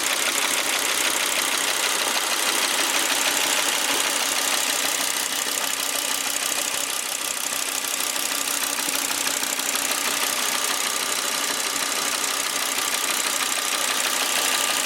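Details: 2001 Volvo V70 T5 petrol on a road test, running with a rough, uneven pulse of about three stumbles a second; misfire attributed to ignition coils rather than the common ETM failure, otherwise runs well.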